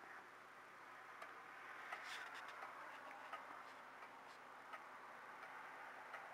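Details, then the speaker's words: Old regulator clock after calendar hand repair: quiet, steady ticking at a regular pendulum pace in a still room; the clock is running normally again. "there we go there's the regulator ticking again so call this a wrap guys"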